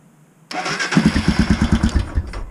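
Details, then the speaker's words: Royal Enfield Himalayan in neutral after starter motor repair (motor had shorted, clicking and killing electrics): starter whirs briefly, engine catches after a few cranks and settles into steady thump; starter working. "turn it on it's in neutral three two one oh yeah it works and again"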